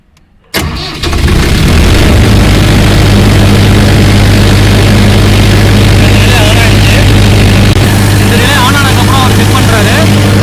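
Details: Cummins 40 kVA diesel generator with battery at 13.1 V: a brief crank, then it catches and settles into a steady, even low diesel run with no knocks or misses. The charger relay cuts out and the alternator charges at 14.7 V. Normal start and idle.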